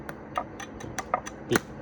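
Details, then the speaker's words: iWELD MMA2001 stick welder with its current-control pot unplugged: irregular crackles and sharp spark bursts, electrode just sticks and spits, no steady arc; a weak arc like this is normal for a healthy machine. "ปกติถ้าเครื่องปกตินะก็จะเชื่อมได้เบาๆไม่แรงไม่อะไรนะครับเนี่ยลักษณะนี้นะเนี่ยติดนะครับปกตินะเนี่ย"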